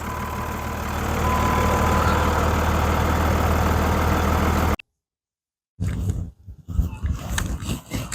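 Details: 2000 Dodge Ram 3500 started after a dash and AC work: engine catches and settles into a steady, even idle for several seconds with no knocks or rattles, then shuts off; running normally.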